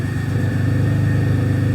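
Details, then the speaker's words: Possibly 2006–2008 Pontiac G6 (complaint: runs rough, check engine lights, antifreeze smell) idling during a scan-tool injector check: steady, even low idle with regular firing and no knock or miss; injector pulse width seemingly good. "like we got good injector pulse width so that's pretty cool"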